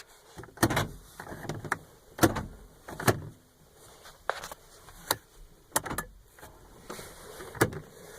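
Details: 2004 Honda Odyssey power door locks after the driver's-side lock fix, a jumper wire soldered onto the multiplexer circuit board. Sharp, solid clunks a second or so apart as each actuator snaps home cleanly: normal operation.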